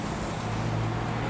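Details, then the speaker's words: Refurbished heavy-duty KING drill press from Taiwan, 220 V single-phase motor, new bearings and grease, four-step pulley speeds: steady low hum, quiet with no knocking, grinding or bearing noise, running normally. "ผมดีเครื่องเงียบเลยครับมีเสียงเงียบมากเลยนะครับ"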